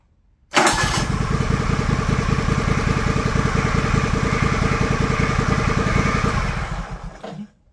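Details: John Deere LX178 mower that ran badly and leaked gas, after carburetor replacement: catches at once and settles into a steady, even chuffing run with no misses or hunting, then shuts off cleanly; sounds healthy.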